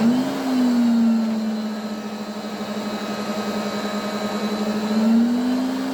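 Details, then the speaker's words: 1980s Electrolux 350E cylinder vacuum with a worn, poor-sounding motor, run from minimum up to boost: whine rises with speed over a rough, uneven hum, grumbling on switch-off. It improves somewhat with use. "however let's turn it on and you can hear how poorish she sounds so we'll start off on minimum and then work way up"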